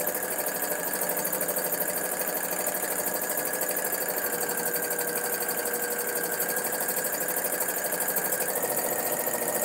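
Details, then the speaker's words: Domestic sewing machine doing free-motion quilting: steady fast chatter with a thin squeal on top, quite squeaky and sounding dry; owner wonders whether it needs oil. "Oh my goodness. Does that need oil? I don't know why it sounds like this. It definitely needs something, because it sounds like I never use it. Quite squeaky."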